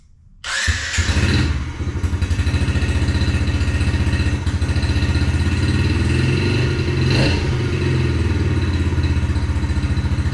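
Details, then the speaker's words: 2021 Yamaha TTR50, idle speed screw raised and mixture leaned slightly (believed to be running too rich): starts first try, settles into a steady, even idle about four beats a second with no misses; sounds good. "yeah so that seems to be pretty good it sound sounds pretty good"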